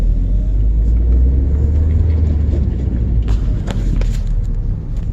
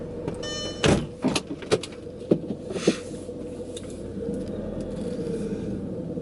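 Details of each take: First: 2001 Audi TT at about 104,000 miles, after a Haldex oil and filter change, during a tight low-speed right turn: only smooth, even low road rumble, and the earlier grinding and binding are gone. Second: 2001 Audi TT Haldex AWD, before fluid change: crispy crackling clicks and knocks over low rumble with felt dragging, metal slippage during slow tight turn; grinding from old Haldex oil and filter, fixed by changing oil and filter.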